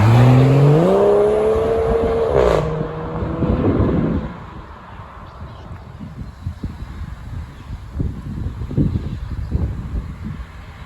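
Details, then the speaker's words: Ford FG Falcon G6E turbo six with centre muffler delete and intake upgrade, recorded from outside as it pulls away and passes: deep exhaust rising in pitch then fading into wind noise; healthy, louder exhaust note. "oh yeah go again sounds like a turbo car sounds like it should beautiful"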